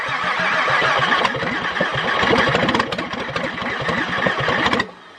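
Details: VW VR6 engine cranked with the intake part detached, which gets it further than before: fast, steady cranking with a few uneven firing puffs that never catch, stopping after about five seconds; cranks but won't start.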